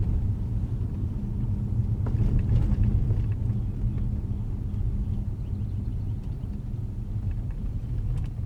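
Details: Jaguar XJ 2012 while driving, after several dealership repair attempts: scattered light pops and clicks from the overhead sunroof over steady low road rumble, sunroof popping noise.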